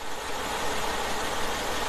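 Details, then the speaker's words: Warm 2004 Mercedes-Benz E500 4Matic wagon V8, 330K miles: rough, lumpy idle from a misfire on one cylinder (second back, one bank) despite new plugs, wires and coil packs; ran smoothly at cold start; cause unconfirmed. "here we are as you can see it's misfiring pretty good the motor is doing this number i'll hold the camera still"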